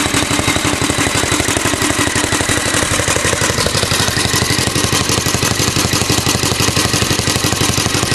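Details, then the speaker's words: Alpha De Laval tank-cooled engine belt-driving a Century generator under a 150 W lamp load. Slow chuffing beat with belt whistle; speed not constant, so the lights pulsate, though the governor works. Engine smoky; mixture needs adjusting. "see the lights kind of pulsating you know cuz the engine speed is not really constant but the governor works well that's 150 watt load right"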